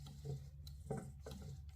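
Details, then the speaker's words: Antique Jeannin repulsion-start induction-run motor with the rotor turned by hand: soft, irregular clunks as the governor weights flop loose instead of being held by their spring; an identical motor turns silently. "when I move this rotor by hand, you can hear a lot of clunking around in there. Now, there's weights in there, but those weights should be held in place with the spring. And they seem like they're looser than they should be."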